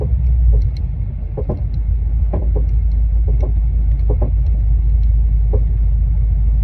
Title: Annoying clunking sound coming from the rear of S550 Mustang #s550mustang #mustang #coyote